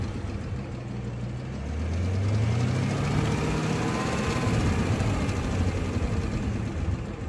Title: ZL1 Ticking Noise Pt. 2